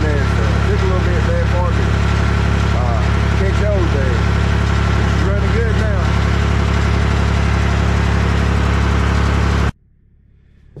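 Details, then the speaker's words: Mahindra 3525 diesel tractor after cold start at 18–19°F, not fully warmed, four to five minutes in; steady, even deep chug with no stumbles, no longer smoking. Normal idle. "it took at least I don't know four or 5 minutes before it kind of smooth out out there see like it's running a lot better now"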